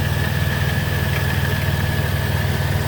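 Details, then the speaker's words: 2007 Chrysler Town & Country LX van, 3.3 V6, 330,000 miles, fleet-maintained with regular oil changes, heard under the hood: steady even low idle hum with a faint constant whine, no knocks or misses; idles smoothly, good response. "it idles smoothly engine sounds good it's got a good response time to it"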